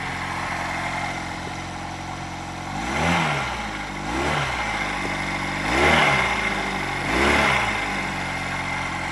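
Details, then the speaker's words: 46-year-old Honda CD175 during restoration, first start: smooth idle with four quick throttle blips rising and falling cleanly about two seconds apart; no misfire, rattle or smoke, healthy. "But wow, that sounds beautiful, doesn't it? No smoke out the rear or nothing. Oh, that's beautiful."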